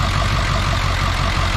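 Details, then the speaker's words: Ford 7.3 diesel parts truck idling low and heavy with a slightly uneven, lumpy beat and white smoke; a leaking injector found during diagnosis, rough idle cause not yet confirmed. "Got a little rough idle. We're gonna have to do something about this smoke here."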